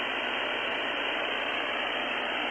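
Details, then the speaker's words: Luiton LT-310SDR all-mode CB radio with noise reduction set to 1 and switched on: constant loud hiss across mids and highs with no signal, a heavy static noise floor. "Now, that did quieten things down, but as you can hear, I still have quite the static floor there. It's quite the noise floor."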